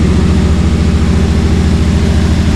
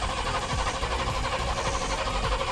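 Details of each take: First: Cammed Chevy C10 V8 after tune-up, sat for months with dried-out carburetor: deep choppy loping idle, steady rhythm, no stumbles; previous miss gone, healthy. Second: Cammed Chevy C10 that sat for months: steady starter churn, engine never catches. Owner suspects the carburetor dried out from sitting; priming underway. Cranking without starting.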